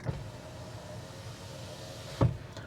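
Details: Ford Capri Extended Range AWD electric car, rear power window run with the rear-window button: a steady, even motor hum for about two seconds that ends in a soft thunk as the glass stops, not quite fully down; normal power window operation.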